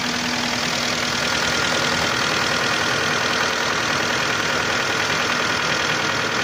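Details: 2011 Hyundai Santa Fe 2.4 (4GKE) engine at warm idle: light steady knock about three per second; engine knocks when hot, cause not determined.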